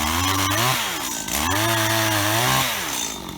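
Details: Auction Stihl HT75 extendable pole saw after cleaning and oiling; revs climb cleanly and hold a steady buzz through each cut, then drop back smoothly; runs strong and healthy.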